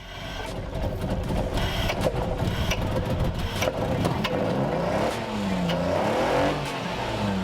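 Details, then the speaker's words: Magna with a stock 3-litre V6 that sat unused for a year: an uneven, lumpy note with a stumbling beat as it revs, not firing on all six cylinders. Misfire of unknown cause; leads, spark plugs or the MAF sensor are suspected. "So as you can see, more, as you can hear, this thing is not on 6 cylinders anymore, so we need to figure out why. It could be leads, it could be spark plugs, it could be, well, it could even be the MAF sensor."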